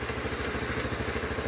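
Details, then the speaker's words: 2007 Honda CT110 single idling with cam chain adjuster set as far as it will go: quick light metallic clatter on every beat, cam chain still slack and rattling. "This is with the cam chain adjusted as much as I can. But, it's a little bit noisy."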